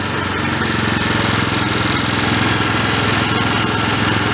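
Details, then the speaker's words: Old Homelite unit (generator or pressure washer) stored about 20 years with Marvel Mystery Oil in tank and carburetor, no fuel filter, choke on, throttle mid; small single chugs unevenly, three to four wandering, stumbling pulses a second, running rough, air-fuel mixture needs adjusting. "want to run it until it doesn't run a rough take about about a half a turn"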